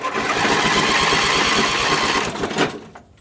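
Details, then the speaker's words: Finicky carbureted engine, gasoline poured in for a start attempt: rapid whirring crank with rhythmic chuff for nearly three seconds, quits without catching; owner suspects carburetor flooding or wrong mixture; cranks but no start. "battery this engine is super finicky and sometimes carburetor floods before it doesn't get an up gas or just not the exact perfect mixture that it needs"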